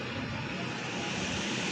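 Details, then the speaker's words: Samsung microwave, complaint of loud noise when switched on, after replacing the faulty fan (high-voltage transformer disconnected): soft, steady airy whir with no rattle or scrape; cooling fan running normally. "Ahí está trabajando correctamente."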